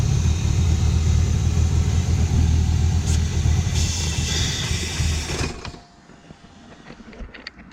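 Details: Engine-swapped BMW E30, cold: uneven rumbling idle for about five seconds then abrupt stall when owner covers a suspected intake air leak by hand; owner unsure whether that air opening is normal; black plugs, runs fine warm.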